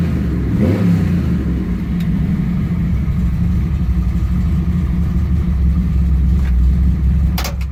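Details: Ford F100 with freshly built 408 cubic inch Windsor stroker small block, after the fuel delivery problem was fixed: deep, steady V8 rumble with even pulses about four per second and a clean rev at the start; normal healthy running.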